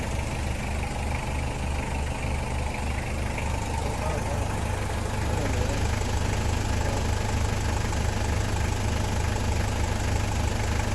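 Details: Toyota Land Cruiser 1KZ diesel at idle: regular, fairly even knock about three per second over the low rumble, source unclear; engine knock problem, later solved.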